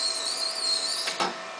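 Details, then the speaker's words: Conveyor dual-drive demonstrator with Model 220 motorized pulleys at head and tail on flux vector VFDs; with the brake set, the rubber belt squeals steadily, wavering slightly over motor hum, as it slides across the stationary lagged snub pulley. "In fact, you can hear the squealing of the rubber belt sliding over the lagged snub pulley, which is stationary."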